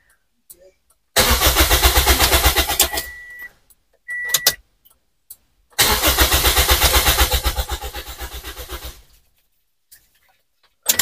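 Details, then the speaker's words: Toyota Vios, cranked to test the fuel pump with the fuel line off: two cranking bursts of about three seconds with even starter pulses; fuel rises, pump confirmed working, normal cranking. "Nah, itu dia untuk full pumpnya sudah bekerja ya."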